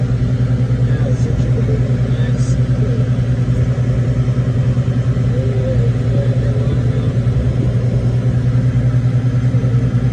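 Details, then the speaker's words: Bev Max 5800 after condenser fan motor replacement (it previously roared like a rocket launch and the compressor overheated and would not run): steady low hum and an even airflow rush, no roar or rattle, as the fan runs and the compressor kicks on. Normal running. "all right we are booted up got one fan turned it on now we just going to wait for the compressor to kick on there we go guys much better"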